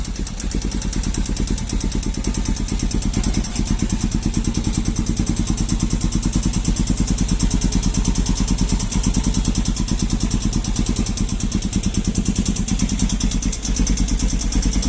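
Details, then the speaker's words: Honda Falcon single-cylinder motorcycle, cold engine at the first start of the morning: rapid, even ticking clatter over a steady idle from the decompression valve, fading once warm; a mechanic confirmed this is normal. "levei no mecânico e o mecânico me falou que aquilo era normal Aquilo é a válvula de compressão que tem na no motor da"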